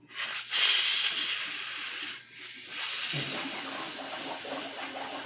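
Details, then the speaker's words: LG dishwasher with OE error code, drain line being blown out with portable air compressor: strong, uneven surging hiss of air with no choking or gurgle; drain line is clear. "I'm getting a lot of noise out of the dishwasher, so everything's good."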